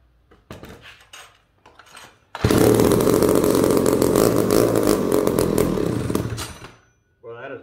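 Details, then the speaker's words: Old McCulloch two-stroke chainsaw, being restored, restarted after carburetor work: loud steady buzzing run for about four seconds then drops off; healthy normal running. "is awesome super tickled about that sounds good well I like that that sounds awesome"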